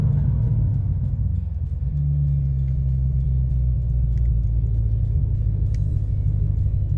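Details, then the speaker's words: Chevrolet Corvette C7 Stingray V8 after replacing the hacked-up factory exhaust with a bolt-on tuned muffler system: deep, steady low rumble with slight pitch lift near two seconds; normal exhaust rumble. "nd since it comes through a finely tuned Muffler it sounds good no matter what mod you're in"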